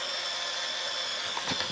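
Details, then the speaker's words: Olympus Stylus Infinity Zoom 115 DLX 35mm film camera rewinding scrap test film: thin, steady high-pitched motor whir with a few small clicks near the end; normal film rewind winding down. "and if I were to close this it will continue to rewind and just wait for it to finish up here"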